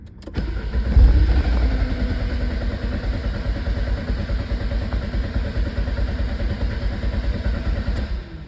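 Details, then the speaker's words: 1993 Lancia Delta HF Integrale, port-injected, no-start: long uneven cranking that never fires. Fuel pressure only about 12 PSI (should be 30–40), dropping off immediately, with no residual pressure. Crank no start, filter new, fuel pump suspected. "as you saw on the gauge we only got about maybe 12 PSI fuel pressure uh this being a port injected motor it should be somewhere around the 30 to 40 PSI range and it dropped off pretty much immediately that tells me that we just don't have enough fuel"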